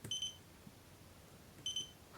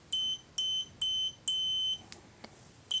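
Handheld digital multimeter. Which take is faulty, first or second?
first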